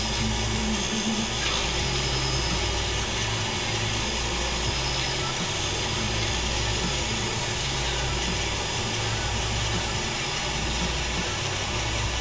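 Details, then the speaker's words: Truck cylinder heads, valves spun in a valve facer to check for bends: steady grinding with a faint rub rising and falling about every 1.5 seconds, valve possibly running out, periodic rubbing while grinding. "these are 194. sounds like they're all out a little bit aren't they"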